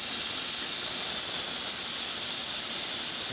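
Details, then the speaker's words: Breville espresso machine after full professional tune-up: loud steady even steam-wand hiss with no sputtering or drop-off; excellent pressure and good temperature, normal. "As you can see, machine's feeling pretty good, having excellent pressure coming out of the steam one, really good temperature."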